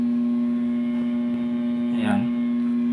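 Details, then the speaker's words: Centrix 45 W stand fan that no longer spins: loud steady mains hum, blades don't spin up, spun by hand they slow and stop; diagnosed weak running capacitor and bad bearing. "Ang sabi ng nag-prepare dito sa akin, yung electric fan na to ay hindi na umiikot t saka nagha-hamming."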